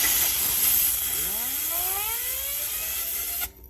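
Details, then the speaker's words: Johnny Morris Platinum baitcast reel bearing, removed and held on a pick, spun with compressed air to dry it during cleaning: thin whine climbing steadily for about two seconds under the air hiss, no rasp or catch; spins freely. "you can hear that bearing just take off, and that really dries it out really good. You can flip it over. You can still hear it jamming."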